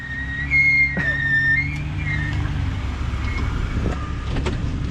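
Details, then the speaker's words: Ford Bronco II off-roading on a trail: a high, wavering whistle-like squeal over the engine, caused by a tiny twig stuck between the brake rotor and dust shield. "just a piece of wood tiny twig stuck between the the rotor and the shield"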